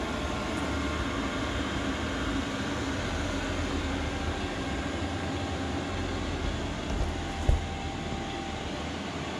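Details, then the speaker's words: Import 5 kW diesel air heater in a bus-to-RV conversion, first firing after several start cycles to purge air from the fuel lines: steady, even roar of rushing air with a low rumble, no surging or misfiring; normal running. "start to put us meat that's what it sounds like [Music] smells like diesel engine smells like a jet plane me it's beautiful"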